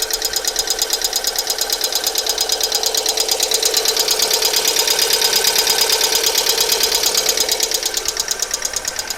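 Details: Alfa Romeo 147 1.6 Twin Spark 120HP: fast, even, sharp ticking about three per second at idle, starting two days after oil change with engine flush; oil change didn't cure it, replacing all 16 hydraulic lifters did, after a 50-minute drive; hydraulic lifter tick.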